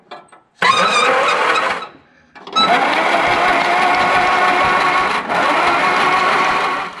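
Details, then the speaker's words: 1960 MG MGA 1600 roadster that sat in a barn for a very long time, cranked by pulling the cable starter solenoid by hand with the spark plugs out. Two bursts of quick, even whirring, spinning freely with no binding or clunks: it turns over well. Normal cranking. "okay the engine turns over well"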